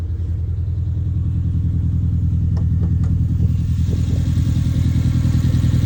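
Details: 2011 Hyundai Genesis Coupe at idle: uneven, lumpy beat, about two and a half stumbles a second under a low rumble, a common misfire on cylinder 4.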